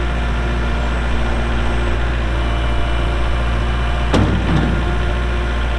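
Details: 2023 Kubota L4701 4WD tractor, 47 HP gear-drive diesel, only 98 hours, with front loader: steady, even low diesel rumble at idle just after startup, no knocks or misses; normal healthy idle.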